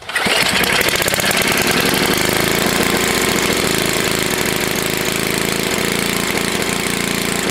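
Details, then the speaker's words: Tecumseh HS40 small engine, long unused, after carburetor cleaning with one jet still uncleaned: catches and holds a fast, even full-speed buzz with no drop because the throttle plate is stuck open; shut down. "i shut it down because the throttle plate is stuck my plate is stuck"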